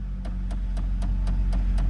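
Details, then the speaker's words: Square-body Chevy truck with 172,000 miles, just jump-started from a dead battery: a sharp regular tick about four times a second over a steady low idle rumble, likened to a typical Chevy tick; otherwise idles great with no check engine light; cause unconfirmed. "oh oh we got that what is that sounds like a blendor ticking reminds me of the Chevy blendor tick"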